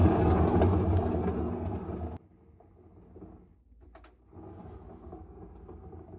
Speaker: That's what bad bearings sound like. It should be silent.